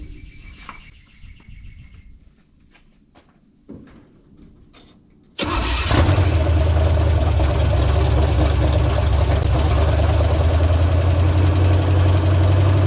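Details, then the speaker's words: 1970 GMC truck engine on its first start after a rebuild with new parts, following years sitting out of the truck: it fires instantly and settles into a steady, even idle with no lifter tick heard. Runs healthy. "i didn't hear anything but i don't hear so well so that doesn't mean anything shoot i'm just excited to hear fire it's been a minute"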